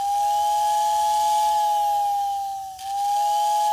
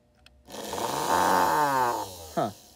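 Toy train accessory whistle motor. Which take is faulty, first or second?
second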